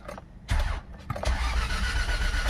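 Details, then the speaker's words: Toyota Previa with hard starting and no idle: it cranks, catches briefly and fades, then fires again and runs rough; it stays running only with slight throttle and dies straight away when the pedal is released. "Ayan so para mapaandar mo siya apakan mo ng konti yung gas yan pag binitawan mo yung gasolinador diretso patay"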